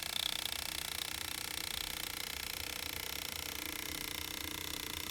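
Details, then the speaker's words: Lego U-joint driveshaft demo with input and output parallel and joints correctly phased: light even plastic clicking about three per second at steady pace, no pulsing; constant output speed. "look at that still constant as long as the axles as long as the input and the output remain parallel it cancels out that non-uniform rotation"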